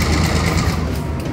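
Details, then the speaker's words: Diesel locomotive 3512 on a short line rock train during switching: rapid, even ticking over a deep diesel rumble; normal purge blowing moisture out of the air lines to prevent moisture damage. "Ticking sound is from blowing moisture out of the airlines. Prevents damage from moisture. So that's just air blowing moisture out of the lines."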